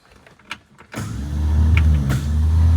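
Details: 1954 Chevrolet after master cylinder pushrod spacer and brake line work: on the test-drive attempt the starter gives a steady low whir with no cranking rhythm or firing, spinning without engaging the engine; not starting, cause not confirmed.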